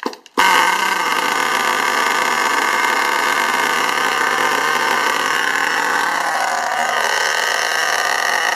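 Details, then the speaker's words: STS D30M model engine being run in, no throttle input: a high-pitched scream holds high revs, then sags and wavers, revving up and dropping down on its own; the owner says it can fully run away, over-rev and smoke, cause unknown. "you see it's h revving up and dropping down slightly but it does get worse than that and it'll completely rev itself out and smoke up so any ideas can let me know"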